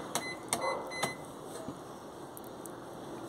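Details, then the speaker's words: Electrolux washer, after filling to the high water level with all lights on: three quick high beeps about half a second apart, then silence as it halts instead of washing; a technician blamed the control board, not confirmed. "Pero cuando la aprendo para que haga el llenado hasta hace el llenado ya después hace ese ruido apago"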